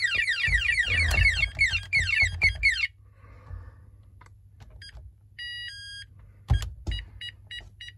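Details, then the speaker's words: Texecom Veritas alarm panel refusing to arm: sharp warbling bursts, held tone, then evenly spaced keypad beeps flagging an open bell tamper circuit (0 V to tamper link); closing the terminals clears it. "And your last one would be the bell tamper. This is a link between 0 volts and tamper here."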